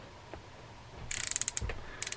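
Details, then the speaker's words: Vintage Daiwa 2500 Punch spinning reel, reassembled during service: quick run of crisp, evenly spaced clicks as the handle turns; normal anti-reverse ratchet clicking. "we have the end of reverse you can hear it clicking"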